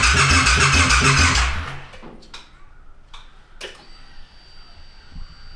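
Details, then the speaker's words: Custom wide-wheel bobber, freshly assembled, first start on new battery: slow laboured starter churn about three to four beats a second, stops without firing; cranks but won't start, battery suspected a little flat. "Battery's a little bit flat. Yeah. That's not. It's not. No, it's not charging up a little bit. We might need to charge it a little? Yeah. It sounds like it's struggling on it, right?"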